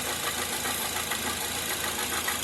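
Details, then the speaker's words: Toyota Corolla petrol engine idling: very loud steady hard knock several times a second, sounding like a rod knock; removing the accessory belt showed it was not the engine but a worn water pump bearing. "o barulho bem forte parecendo aí biela batendo um e tem hora que parece que vai quebrar"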